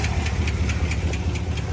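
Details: 2021 Chevy Silverado LT Trail Boss 6.2 V8 at about 5,177 miles: sharp regular metallic ticks about four a second over a rough idle, no check engine light; owner suspects a dropped lifter, unconfirmed.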